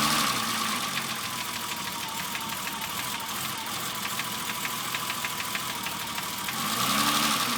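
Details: BMW E30 engine at idle with a light, fairly regular tapping about three times a second; knock of unknown source, owner unsure if rod knock, piston slap or bearings, three shops couldn't determine it.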